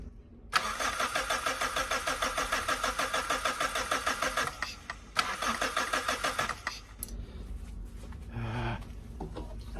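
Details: 1991 Suzuki Swift 1.6 AWD saloon, carburettor, fuel can rigged to a line that may not be the return: starter spins the engine at a quick chug about three beats a second, twice, never fires; fuel not reaching carb suspected, not confirmed.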